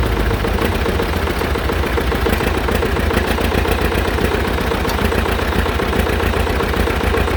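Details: John Deere Model R tractor big diesel engine at first start after the pony motor was rebuilt, reinstalled and used to start it, following injector work and freeing a sticking fuel rack; steady, loose beat at settled idle, even firing, no knocks or misses; normal running.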